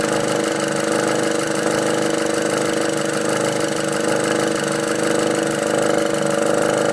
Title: Golf R engine noise after catch can install